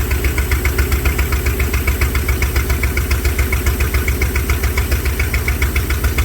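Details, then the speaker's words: Mopar engine with an ECU no-spark problem, just started after the carburetor was filled with fuel through the vent tube: lumpy, loping, uneven running; owner suspects it is not getting enough fuel. "all right so it started it's not running the base but I wonder if I'm not getting fuel"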